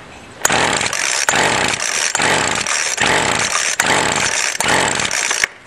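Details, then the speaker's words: Weedeater string trimmer, carb untouched, started full choke then half choke at full throttle: screams at full throttle in short surges broken by sharp cuts, then dies; owner thinks it ran on residual gas/prime only. "think it may have been running off residual gas let's try adding a little bit more prime"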